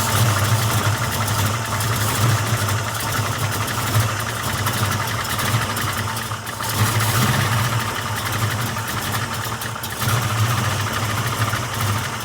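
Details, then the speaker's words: Ford 347 stroker V8 with Anderson N91 cam, 205cc 11R heads, 750 carb, just after lifter change and first start; rough lumpy idle with a fast light tick or clank beneath; noise quietening but still present, likely lifters not yet pumped up. "Starting to quieten up a little bit. Still got that noise. We'll let it sit for a second."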